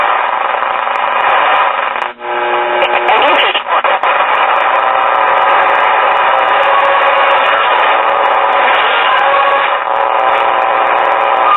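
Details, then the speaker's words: 1947 Delco R1410 portable tube radio during an AM band scan after servicing: a steady whistling squeal over the radio hiss, which stopped when the nearby camera was turned off, so it is camera interference. "yeah that's something else with a lot of interference let's see if that's the camera doing that yep that's the camera because whenever i turned it off the squealing went away"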